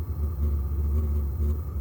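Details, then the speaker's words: Vevor 12 V diesel heater with muffler sideways, smoking and emitting black smoke with diesel smell: deep, steady low hum with slight pulsing, first time heard; abnormal humming, cause unknown. "See? It's making a humming sound. If y'all can hear that."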